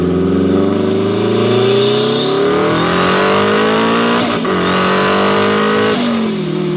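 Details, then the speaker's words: Turbo Mazda Miata, built 1.6L with a new head gasket, new clutch and flywheel, and a custom unequal-length turbo manifold giving a Subaru-like sound, about 14–15 psi boost. A strong note climbs through the revs with a rising whistle, a gear change, then more pull: a healthy turbo engine under acceleration. "Well, there we have it. The world's weirdest sounding Turbo Miata. Coolest sounding Turbo Miata."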